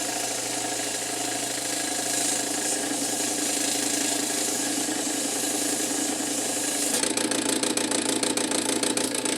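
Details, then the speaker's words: Cool Breeze 16" oscillating desk fan (type EB24616) motor hums with a fast, loose knocking rattle; pressing the shaft against the bearing makes it much quieter, indicating a severely worn motor bearing. "see if I if I apply a pressure to it to keep it up against the bearing it's it's much quieter so unfortunately this is a bearings problem and it's pretty severe"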